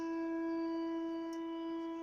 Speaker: здравствуйте с вами владимир будет кран унитаза при сливе пока набирается будет чтобы это устранить для этого надо заменить арматуру